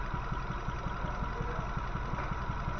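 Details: Nissan Grand Livina petrol four-cylinder idling with an uneven, lumpy low pulse; it misfires on one of four cylinders, found to be caused by a dead, leaking ignition coil, which is replaced.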